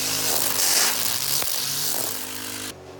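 Mower running under load with a rough, gritty grinding over the engine roar, likely from the drive; it cuts off near the end.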